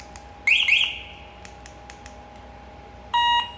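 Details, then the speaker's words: MP car alarm after remote synchronization, with the yellow and orange wires separated again: two quick rising chirps and a short steady high beep in a quiet room; siren works properly. "nah lalu kita coba Apakah alarmnya fungsi atau tidak oke"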